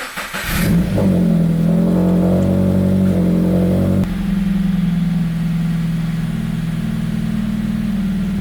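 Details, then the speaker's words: Subaru BRZ returned from turbo tune to stock ROM via EcuTek: catches at once, holds a raised idle then settles lower, running smoothly with no stumbles or check engine lights, like a normal stock BRZ. "she's not sounding any different than a normal stock B or Z would"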